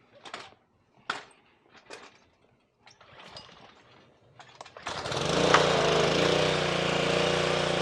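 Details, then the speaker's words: Simpson pressure washer with a Honda GCV170 engine after a replacement 3000 PSI pump was fitted; trigger squeezed before pulling, some air still in the line. A few pulls, then the engine catches and runs steady and even with no knocking: normal running. "all right there we go it probably has a little air in the line still let's get it"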